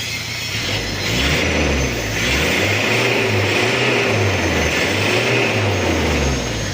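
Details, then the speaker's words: Toyota Kijang diesel after repair of coolant overflowing into reservoir: free revving blips climb and drop cleanly, crisp and even, no knock or hesitation; revs light and smoke acceptable. "oke kita gas-gas untuk gas-gasannya enteng asepnya pun juga"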